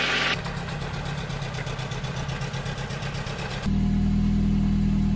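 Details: Nissan 100NX after work to cure a misfire: smooth even idle pulsing at a steady beat, no stumbles or skips, firing cleanly; misfire fixed, normal idle.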